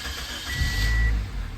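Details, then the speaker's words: 2008 Toyota Corolla after repairing no crank, no start, no ECM communication by running a fused dedicated power wire to the battery: short even crank catches quickly into a steady low idle, starting normally. "crank it turns on running we turn it off and the power shuts off"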